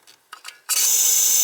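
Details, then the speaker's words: Gas boiler with a no-heat complaint: a few faint clicks, then a steady hiss of gas at the gas valve after reopening an extra shutoff valve that someone had closed. The gas supply is restored. "alright so turn this on here and we should have gas coming off the gas valve now [Music] yeah you could hear it hear it listen"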